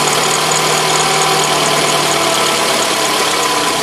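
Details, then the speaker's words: Toyota RAV4 at idle, noise started after 80,000: a steady high whistle over an even idle, rising with throttle and fading after several minutes. Owner suspects the alternator bearing or the water pump; the pump is dry, no leaks. "Вот такой звук стал доноситься после 80.000. Не могу понять, то ли подшипник генератором, то ли помпа."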